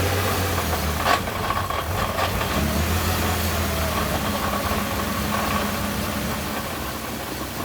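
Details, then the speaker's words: Crashed Nissan GT-R with oversized injectors and an off-the-shelf tune, started after an ECU map change: uneven idle with loud loose metallic clanking. "That loud metal clanking sound was still our injectors having a rough go of it. And my face sort of says it all. Why on earth was this car still not idling correctly?"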